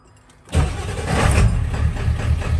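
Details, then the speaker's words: 28-year-old OBS Ford F350 with clutch trouble, hard to shift into first and reverse when running: engine catches quickly after a short crank and settles into a steady, even low idle rumble with no knocks; normal start and idle. "sounds so good though"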